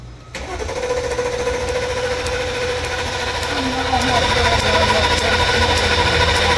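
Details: Mercedes-Benz S550 towed in with crank, no start: starter cranks steadily at about 3.5 turns a second, never fires; spark good, no fuel, pump power and ground tested good, fuel pump replaced.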